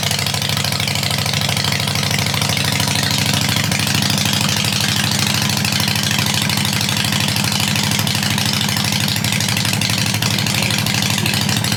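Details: 2007 Harley-Davidson XL883 Sportster, theft recovery with 13,541 miles, first start: a steady, loping V-twin idle with an even beat and no knocks or misses; it sounds healthy.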